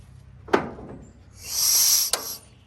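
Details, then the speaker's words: 1916 Federal Motors truck four-cylinder, unrun 50-60 years and freed from being locked up, plugs reinstalled, turned over to check compression; sharp puff then long hiss of air forced out; good compression. "good Lord this thing's got compression"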